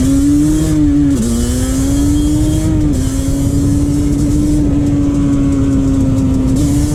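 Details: 2001 Yamaha Banshee 350 two-stroke on a POV ride after an exhaust leak was fixed with new clamps: crisp rasp climbing and dropping cleanly through quick shifts, no puffing or ticking from the pipes. Exhaust sealed, running normally.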